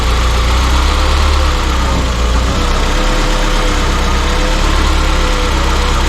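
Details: Peugeot 205 GTI fully rebuilt engine running after its first startup: dense, steady low idle holding speed without surging or missing; fresh engine settling into a healthy tickover.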